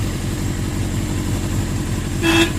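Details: 1982 Suzuki GS650GT motorcycle, first run since delivery, idling rough with a suspected fuel delivery problem: two short, thin horn beeps barely rise above the engine; weak, feeble horn lacking volume.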